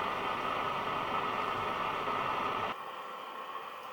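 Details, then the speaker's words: National Panasonic RQ-434DS boombox radio after component changes and loose aerial wires: loud steady hiss with a faint station underneath; weak reception, mixer transistor suspected. "i can vaguely hear the station but they'll be getting very nothing out of it"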